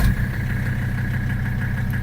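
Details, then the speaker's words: 1984 Mercedes-Benz 300TD diesel at about 249,500 miles, started after glowing: it catches at once and settles into a steady, even clatter at 850–900 rpm with no misses or knocks. Normal start and idle. "Comes right on. No big deal."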